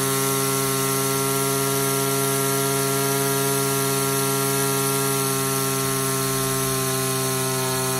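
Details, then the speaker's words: Older Echo SRM two-stroke string trimmer fitted with a new HiPA replacement carburetor, top end lacking. Held at full throttle with a steady high scream while the high-speed mixture screw is set for maximum rpm. Turning too far drops rpm; backing off brings it back. "our goal here is to run this thing at full throttle adjust the screw until we can reach maximum rpm"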